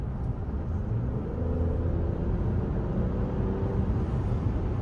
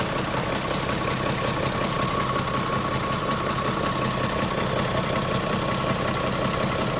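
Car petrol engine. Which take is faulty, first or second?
second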